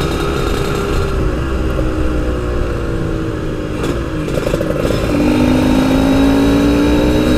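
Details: Yamaha RX King two-stroke, riding after fixing high-rpm stutter, recorded through a half-face helmet with wind noise: note climbs cleanly, pulls evenly through high revs, no misfire; normal high-rpm running.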